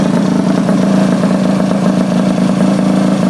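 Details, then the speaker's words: Honda Elite 50 two-stroke scooter after Taida radiator install, air still in the cooling system and hose too long: buzzy idle that wavers and stumbles instead of holding steady; air bubbles in coolant blamed. "it should be idling about 150 but when you first start them up they always have air bubbles in them"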